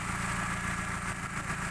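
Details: 2000 Suzuki Baleno DX manual, engine idling with the hood open: steady, even, regular idle hum with no knocks or ticks. The engine sounds smooth and healthy.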